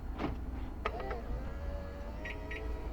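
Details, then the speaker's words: Land Rover Freelander 2 after the rear central door locking motor was replaced: unlock clunk and mirror motor hum, then an abnormal double chirp; the IID tool reads a faulty alarm ultrasonic motion sensor, which gets replaced. "we get this double beep beep and it it's it seems to indicate something's wrong it shouldn't do the double bit bip"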